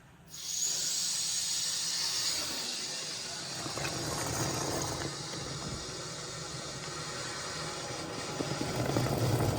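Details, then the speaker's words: Old commercial Trane water source heat pump with no cooling: a hose is pushed into the clogged condensate drain line after the float switch was cleaned, and quick water spurts make a sharp hiss easing into a steady gurgle. The line clears and drains. "Oh yeah, baby. Love that sound. All right, we're draining good enough."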